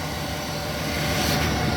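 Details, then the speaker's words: 1999 Chevy Suburban K1500 LT, 25 years old, idling after start: low, steady, even rumble with no knocks or ticks; smooth, quiet, normal idle. "Nice and quiet. And that's, my 1999 Chevy Suburban. Got her all fixed."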